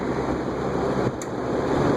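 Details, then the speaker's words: Air King 20" box fan from a thrift store, on high at about 1.75 A after its gummed-up bearings were freed with WD-40: steady airy whoosh with no rubbing, squeal or ticking; normal running, bearings seem okay. "okay let's wind it down that's not bad actually seems like the bearings are okay"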